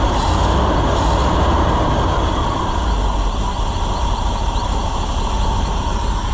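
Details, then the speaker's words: Chevrolet C65 grain truck with freshly rebuilt carburetor, air filter off after a hard start: loud, steady, even-firing idle rumble with no misses, pops or surging. Normal running. "but I think we got her, friends. She's running pretty good."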